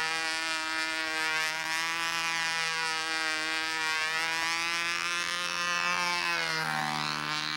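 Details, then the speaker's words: Glow engine on a U-control (Windy U Master) plane in flight: high buzzing single-cylinder note holds steady then drops in pitch; doesn't sound so bad, but possibly the wrong prop fitted (suspected). "know what that doesn't sound so bad you got the wrong prop on the play maybe that prop"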